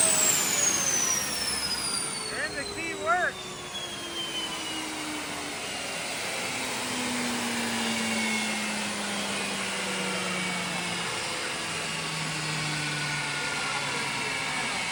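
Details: 2010 Camaro jet car, Boeing T50 turbine mated to 700R4, in park, no throttle, indoors in shop: high turbine whine over steady lower tone, both sinking slowly as it settles; normal idle.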